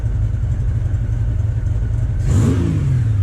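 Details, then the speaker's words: Honda GL1500 Goldwing motorcycle with jet kit, just after carburetor synchronization with Harbor Freight vacuum gauges; even smooth idle, then a quick throttle blip rising and dropping cleanly. The difference is audible in the engine. Normal revving. "how that really made a difference I can hear it I can hear it in the motor I'm really glad I did that"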